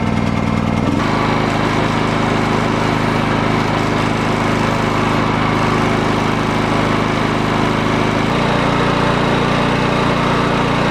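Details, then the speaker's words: Old Honda generator salvaged from the dump, after teardown and repair: small single-cylinder engine fires up and settles into a steady, even drone with a slight load change; running smoothly and healthy. "Well, we got it all working. You know, that was a little bit more easy than I expected."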